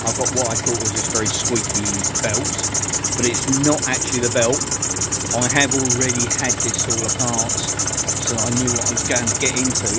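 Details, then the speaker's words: 2012 Nissan Pathfinder 2.5 dCi 190PS diesel, cold idle: chirping squeak about once a second that sounds like the belt but is the worn auto-tensioner pulley bearing rattling; noise vanishes when sprayed with WD40. "We'll get this all the parts. It's this um it's the tensioner that is rattling away"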